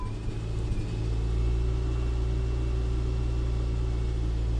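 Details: Customer's car, which ran worse after a tune-up and often failed to start, catches on the first attempt with the fuel pump heard. It settles into a steady, even idle with no knocks or stumbles: normal idle.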